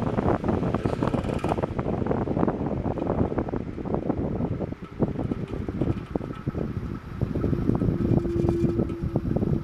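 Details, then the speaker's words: Lowe's economy household fan on high speed, needs oiling: faint whistle over a rough scratchy rattle from the hub; owner says bearings with crud around them, fan bearing noise. "but you can hear that noise that's definitely the bearings which have cr around the bearings not much I can do about that"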